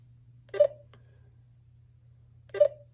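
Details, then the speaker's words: GTMedia V7S satellite receiver signal meter pointed at a satellite that is not being received: two short mid-pitched beeps about two seconds apart; beeps spaced further apart mean a weak or no signal. "notice how the beeps are further apart now so the idea is is that the stronger the signal the more frequent the beeps"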